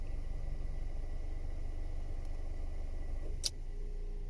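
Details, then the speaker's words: Toyota Vios at 260,206 km with a non-original replacement evaporator, refrigerant leak and compressor getting noisy; heard inside the cabin, parked in the sun, before repair: low hum with a steady howl while the AC compressor runs, a worn evaporator howling. "ก็ได้ยินชัดเจนเสียงหอนขณะแอร์ทำงานในขณะคอมแอร์ทำงานอ่ะอ่ะ"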